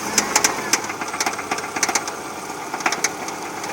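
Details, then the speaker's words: 2009 Subaru Forester Limited automatic, 2.5-litre SOHC, 101k miles, warm engine idling: loud irregular metallic taps in clusters, smoothing at higher rpm, worse at low rpm, quiet when cold; timing belt, water pump, tensioner and pulleys recently replaced, cause unknown. "and so usually when we rev the engine to a higher rpm the noise kind of smooths itself out but if you'll notice the knocking comes back and bursts and it has difficulties at lower rpm"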